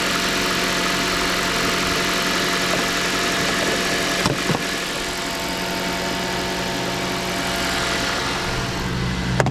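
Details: 2011 Mazda CX-7 just after installing a used engine, coolant being burped: steady, even idle with constant low hum and faint hiss, no knocks or misses; engine sounds healthy.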